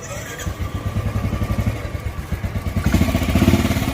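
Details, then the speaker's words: 2017 Royal Enfield Bullet Classic BS4 single after repair: misfire was caused by a loose clamp, now fixed; steady even thumping at low revs with no skips as it picks up; normal running, no missing. "കുഴപ്പങ്ങളൊന്നുമില്ല മിസ്സിം ഇല്ല ഒരു കംപ്ലൈന്റും ഇല്ല അത് clamp loose ആയതിന്റെ പ്രശ്നമായിരുന്നു"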